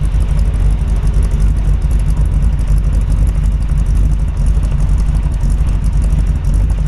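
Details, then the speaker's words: 1948 Ford Super Deluxe Woody Wagon, H&H flathead V8 with a cam, 3-on-the-tree: deep heavy V8 idle with a slightly lumpy, loping cam beat, even and strong; healthy engine. "You can hear the cam in it right now. I'm going to have him rev it up so you kind of get a feel."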